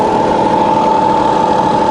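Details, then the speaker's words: Fully rebuilt Bridgeport variable-speed milling machine head, spindle running in reverse: steady, even mid-pitched whine with no knocks or grinding; quiet, healthy head. "That's running around 1,000 RPM at the moment, so it's really nice and quiet."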